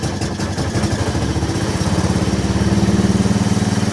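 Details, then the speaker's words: Machine after starter repair, on a temporary fuel tank, battery a little low, which the owner thinks made the starter struggle: engine catches and settles into a steady even chug, pulses smoothing out; normal engine start. "Seems to be pretty happy. Our battery is a little low. I think that's why our starter is having a It seems a little happier now that it charged for a minute."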